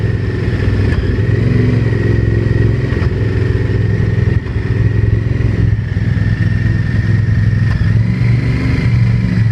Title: VTR1000 engine knocking